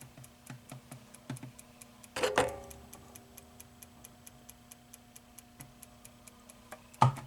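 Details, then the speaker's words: Wells-Gardner 25-inch K7400 arcade CRT monitor on the bench: quick, even ticking about three to four a second, fast ticking indicating a bad horizontal output transistor (slow ticking would indicate power supply). "okay off it is so tick tick tick tick tick we got a bad hot"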